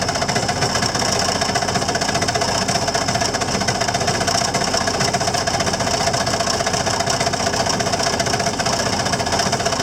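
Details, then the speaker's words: Tractor hydraulic pump making harsh steady grinding with a thin high whine while running; the lift still rises and drops, oil is full, new and clean, and the owner suspects the pump shaft broke off again, unconfirmed. "sounds like the shaft broke off again yeah that's what it sounded like to me that the shaft broke off again"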